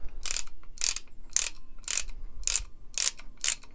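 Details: Comparison torque wrench, likely a Pittsburgh, possibly a 36-tooth ratchet, swung by hand against the new Icon: seven bursts of harsh, rattly clicking in about four seconds, a coarser, cheaper-sounding ratchet action that doesn't sound as good.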